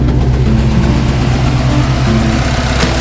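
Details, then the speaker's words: Early Bronco new 351W V8, about 500 miles: lumpy, uneven idle with regular stumble from a dead cylinder, power lost on one bank; exhaust pulse sucks back, exhaust valve suspected, failed pushrod found. "Yeah, something seriously is going on here. And I suspect the exhaust valve."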